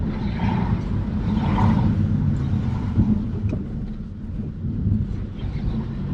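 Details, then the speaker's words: Audi S3 rebuild on first test drive after 4 months, earlier noise thought to be a tyre: even low road rumble, no wheel noise or scraping, no rhythmic thump or drone with speed; drives quietly, normal road noise. "the thing though there's no noise from the wheels if I'm not here in any scrape you know you can try that which is good"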